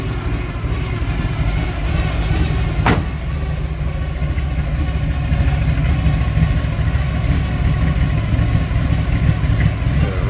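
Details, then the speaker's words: 1971 Chevrolet Nova, built 400 V8 with Isky cam, heard at the rear: deep, steady, even idle rumble with no knocks or misses. Normal idle. "rumble coming out of that V8."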